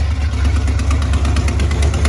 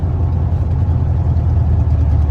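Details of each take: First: 1987 Ford Bronco XLT, cammed 351W with headers and straight-piped duals, no mufflers: deep, lumpy V8 idle with a sharp tick in time with the firing. Exhaust leak at the passenger-side header gasket, which needs replacing. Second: 1987 Ford Bronco XLT, cammed 351W, Holley 4-barrel double pumper, straight-piped headers without mufflers, after winter storage: deep steady V8 rumble revving up and settling back on all eight cylinders, running very rich. Normal running.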